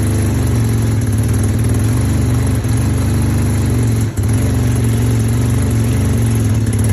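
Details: 1975 Suzuki RE5 Wankel rotary motorcycle, all original unrestored, cold start: smooth, buzzy idle with an even beat and one brief dip; runs cleanly.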